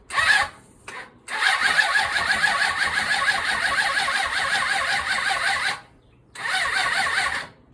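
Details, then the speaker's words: 1993 Suzuki GSX600F motorcycle after carburettor rebuild, tank refitted without air filter: starter turns over in sluggish bursts with pauses, never fires; slow cranking, battery problem suspected. "It sounds like some battery problem, so I'm gonna put on the helper, the jump starter."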